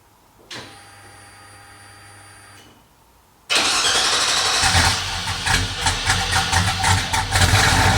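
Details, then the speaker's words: 1977 Ford F-150 after an LS V8 swap with a stand-alone wiring harness, first start: a short whine and cranking, it fires, stumbles briefly, then settles into a steady, even idle; a normal idle. "would you look at that it fired right up a little bit of stumble thought maybe it was gonna die but just turned right on"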